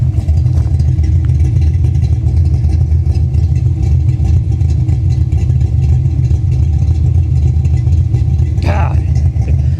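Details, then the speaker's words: 1989 Ford Mustang GT Foxbody V8 with big cam and heavy blow-by splattering oil under the hood: deep, loud, slightly lumpy idle firing evenly without knocks, ticks or misses; sounds healthy, normal idle. "doesn't she of course she does man she sounds great listen to her"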